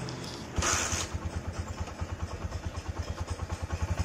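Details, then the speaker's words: Honda Megapro Primus after reassembly, first test idle: soft, even single-cylinder thumping with no ticking or rattle. It came in with a harsh klotok noise from the left side, suspected cam chain or valve clearance; the idle now sounds smooth. "suaranya langsung halus ya"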